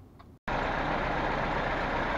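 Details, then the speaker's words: Lada Niva 2131 long five-door after replacing the front axle reducer and drives, which had been torn apart in mud: on a lift in gear with transfer case engaged, steady even drone; only the right wheel spins (no limited-slip); no noise from the reducer. "А так все работает шума с редуктора никакого нету"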